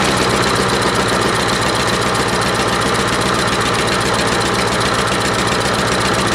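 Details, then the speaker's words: Troy-Bilt 12AV566N011 lawnmower after carburettor bowl and main jet cleaning: crisp, fast, even single-cylinder beat with steady speed, no stumbling; runs cleanly. "well it's run so good I decided to myself even an oil change"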